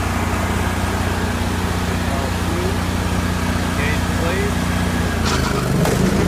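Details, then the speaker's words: 1980 Jacobsen Turfcat 60-inch mower running steadily with a loose uneven rattle around three per second: the PTO shaft bounces freely because its bushings are missing, wearing the shaft end. "the issue is if there were no bushings and the shaft the shaft was free to just bounce around that's what all that racket was you can hear in the video"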